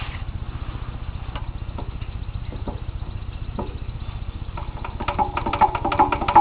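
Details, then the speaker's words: Engine warmed up; uneven putter at idle with a dull knock about two or three per second that sharpens as revs rise. Piston rod checked with no play, so not cylinder knock. Owner suspects cam side-to-side play on angled gears or closed throttle; cause unconfirmed. "yeah you can hear it there it's not cylinder knock cuz I uh I opened the cylinder the one day and checked the uh piston rod for play"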